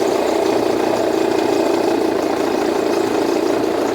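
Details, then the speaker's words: Jeep Renegade, back from another shop's service: at idle a loud, steady whirring rattle pulsing about three to four times a second, from the accessory belt drive. The belt is to be removed to confirm. "faz um barulhão aí pessoal tá vendo o barulho é um barulho muito forte então o que que acontece a gente vai fazer a retirada da correia de acessório"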